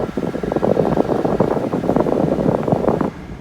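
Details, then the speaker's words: 2005 Chevy Suburban/Silverado/Tahoe A/C blower after replacing the burnt, corroded wiring harness connector and resistor and refitting the fuse: strong, even rush of air with steady fan hum, then a clean cutoff. Blower working properly. "all right we got airflow that solved our problem you hear that"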